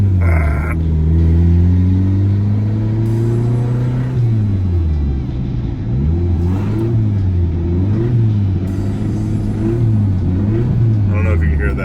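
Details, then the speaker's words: 2000 Honda Civic EX D16Y8, 5-speed, about 185,000 miles, turbocharged: as revs rise and fall a dull knock follows engine speed, a spun rod bearing; fix is replacing rod bearings. "but it doesn't sound good at all kind of scary"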